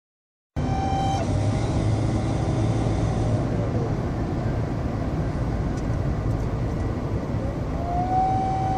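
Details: 2013 Ford F-150: thin whistle that drops away and rises again as revs climb over engine running; turbocharger failure.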